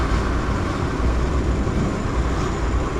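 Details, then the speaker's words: Motorcycle idling after replacing the cam chain and cam chain tensioner: smooth, even low rumble with no valve or top-end ticking; the earlier engine noise is gone and the engine runs healthy. "se escucha nada, nada es nada. La prendo, no suena nada, no suenan válvulas, no suena nada."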